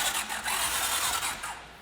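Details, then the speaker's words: 1981 Honda CX500 motorcycle, bought disassembled and unrun for years, cranking before spark plugs are cleaned: starter spins briskly with even, quick compression chuffs and plenty of compression; normal, healthy cranking. "It's actually turning over really fast. Yeah, it sounds good. Like Yeah, the it sounds starter really sounds good."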